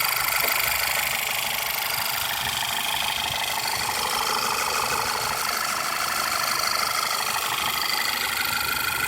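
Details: Ticking at idle persists after running Seafoam in the oil for about 30 miles; a light, fairly even tick about two per second over a steady idle, somewhat quieter than before, source not pinned down.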